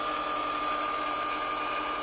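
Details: PM-728V-T mill spindle at max rpm (4375) with quill fully extended: clean, constant high whine, no rumble, grinding or wobble, reasonable vibration, well balanced; normal spindle running.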